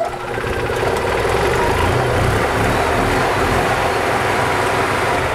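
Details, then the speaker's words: Gas EZGO TXT golf cart (1996 or 1999) that was hard starting, after tightening spark plugs and carb cleaning: catches right away, steady even idle without misses; normal start and idle. "Let's see if it starts any better with these plugs actually tight. It's definitely better. Starts right up."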